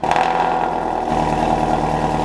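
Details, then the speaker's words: V8 at idle: loud exhaust note with a fast, light tick riding over it; the engine seems to perform fine, so the owner suspects an exhaust leak rather than a blown engine. "I think it's an exhaust leak. But if you've ever had an exhaust leak, it does make a kind of a ticking noise"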